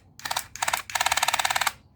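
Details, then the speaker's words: Dental Mate water flosser previously damaged by 220V on its 5V charging input: short bursts of rapid sharp ticking, about fifteen knocks a second while the button is held. Something in the pump is knocking; cause suspected, not confirmed. "if you press this button you can hear the knock you can hear this knock of this machine"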